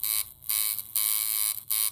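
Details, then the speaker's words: Reworked Temu coil tattoo machine (soft shader) with new capacitor and springs, at 7.6 volts, 106 Hz, 40% duty: high, even buzz in short on-off runs with steady pitch in each; consistent, smooth running. "I mean it's a soft thingy Shader I suppose but there you go I mean look it's pretty consistent"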